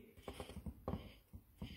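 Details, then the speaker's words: VW Scirocco 2.0 TDI timing belt idler roller turned by hand gives uneven dry scraping pulses, rubbing against its plastic part; a factory-assembly fault, noticed when fitting the new idler. "bruit de frottement ça a prioris au niveau de la peau niveau quant au niveau de la partie là en plastique y frotte ça c'est au montage en usine donc ça arrive voyez"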